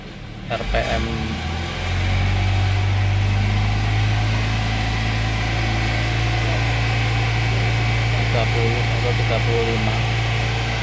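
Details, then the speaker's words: 2003 Toyota Kijang Kapsul injection after a tune-up and cleaning-foam treatment: held at raised revs for 10–15 minutes to burn residue out through the exhaust, with temporary smoke. A steady, even drone with no misses; the engine runs normally. "Kita hidupin kira-kira 10 menit atau 15 menit sambil kita gas biar asap yang di knalpotnya sampai habis, sampai tipis."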